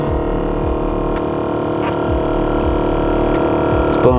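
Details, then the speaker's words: BMW E38 blower motor on the foot-vent setting: loud, steady mid-pitched whine and hum, roaring like it's about to take off, with little airflow felt at the feet. The blower was checked and spins freely on both sides; cause unconfirmed. "okay i hear it oh what a shame it sounds like it's about to take off"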